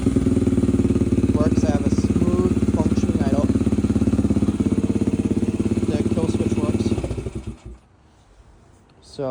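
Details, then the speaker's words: 2004 Yamaha TT-R125 single after new top end, replaced bent intake and exhaust valves and carb work: one-kick start, then even, steady smooth idle with no smoke until switched off. Normal idle. "as you can see we got an idle here smooth Idle No Smoke sounds"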